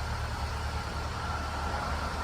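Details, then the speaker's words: 2008 Ford EcoSport, previously no-start (DTCs B1681, U2199, U2510), idling smoothly after repair: even low hum, no misses or knocks; dirty, neglected engine but running well, warning light off. "Motor bastante sucio por todos lados, pero no se escucha ni siquiera mal. Está parejito el motor. Está un poco abandonado, pero el motor está trabajando bien."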